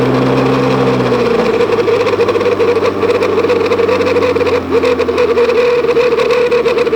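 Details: Pontiac GTO with T56 and a newly upgraded Ford 9-inch rear: rough, fluttering buzz over running noise that starts and stops intermittently, triggered by pavement changes or bumps; shifting in and out of neutral helps it stop.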